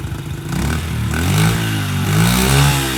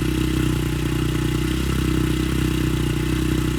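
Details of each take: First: Honda CRF70F on a newly installed stock carburetor idles with a slightly wavering, surging beat. The owner suspects an air leak because the pilot screw must be almost fully screwed in. The cause is not confirmed. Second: Honda CRF70F on a newly installed stock carburetor with a new fuel filter and air filter putters at a steady, even warm-up idle with a quick regular thump. It started easily, sounds healthy, and awaits adjustment.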